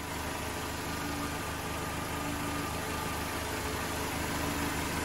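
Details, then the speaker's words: Old Mercedes 190E recommissioned after sitting in a yard, exhaust leak fixed by resealing the loose downpipe (not the manifold): steady even idle with a smooth low hum, no ticking or exhaust puffing; engine sounds healthy and sealed. "Exhaust all sorted. How about that? The Germans do make a nice engine."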